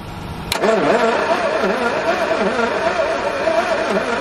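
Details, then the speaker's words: Very early 1969 Ford Capri MK1 barn find, not run for many years: even starter cranking, about two and a half turns a second, never catches; no spark because the distributor contact-breaker points aren't making contact and need cleaning. "yeah no spark can't even get a Nerf no no spark no spark"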